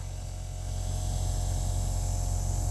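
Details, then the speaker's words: Diesel truck unused for a long time, fuel lift pump: steady low electric hum running hard and constant, as if against a restriction; owner says it sounds strong and suspects something is packing up, unconfirmed. "It sounds pretty strong. I hope this ain't what I think it is."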